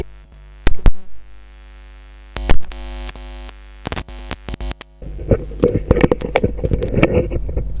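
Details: A loud, steady low mains hum and buzz on a microphone line, broken by sharp clicks and handling noise, from an ungrounded chassis; connecting the ground at the microphone end greatly reduced it.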